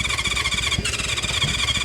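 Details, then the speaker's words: 1970s Honda CB550 or Kawasaki KZ650 four-cylinder sitting for years, starting spray used, tried with and without choke: a steady starter whine and an even cranking beat that never fires. Compression was found OK on cylinders 1 and 4, and the carburetors are next. "Oh. Come on. Ah, nothing. Nothing."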